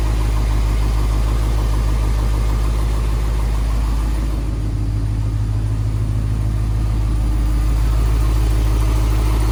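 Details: 1990 Corvette ZR-1 with LT-5 V8, first start after starter replacement for a no-start and reconnecting about 20 vacuum hoses and harnesses: deep, even idle with a steady beat, no stumbles or knocks, normal idle.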